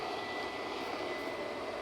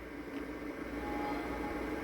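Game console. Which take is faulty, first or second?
first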